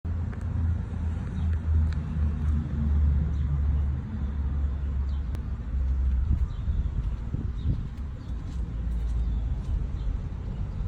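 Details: 2006 Audi A6, rough idle noticed two days ago along with power loss at low speeds: low uneven idle wavering and stumbling every few seconds; owner suspects PCV valve, unconfirmed.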